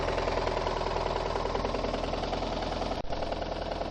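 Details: VAZ 2114 engine with seized connecting rod bearings on cylinders 2, 3 and 4, plus burnt valves. Rod knock: a steady, rapid, regular metallic clatter riding over the idle.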